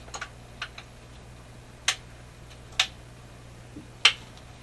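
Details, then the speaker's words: Canadian General Electric C701 console record changer running to auto shutoff; sharp irregular clicks about once a second over a quiet low hum; mechanical click of unknown cause, judged annoying but not serious. "so we're in good shape now i don't think the clicking is that it's annoying but i don't think it's i think it's a big deal"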